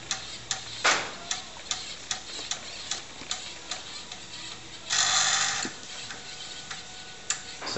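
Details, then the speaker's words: Tano Dragon 64 running Dragon DOS through a TRS-80 CoCo disk controller, formatting a disk with DSKINIT: crisp, even ticks about every half second as the head steps track to track; normal drive operation. "to format the disk the command becomes disk in it there it goes now you can hear it ticking away there"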